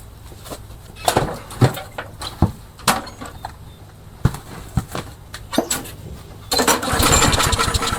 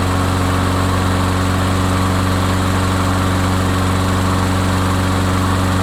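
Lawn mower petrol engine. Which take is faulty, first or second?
first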